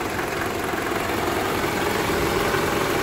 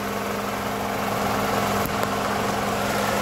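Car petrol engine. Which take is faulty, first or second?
first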